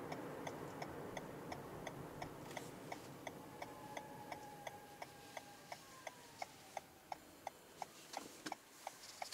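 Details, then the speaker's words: 2021 Toyota Venza Hybrid XLE, interior POV on a test drive: soft synthetic tones glide up and down over a steady quick ticking in a quiet cabin, the legally required pedestrian warning sound in EV mode. "Right there, you heard, it kind of sounds like a spooky ghost horror film. But what it is they have to legally make that sound now for hybrid vehicles to let pedestrians know when it is in EV mode."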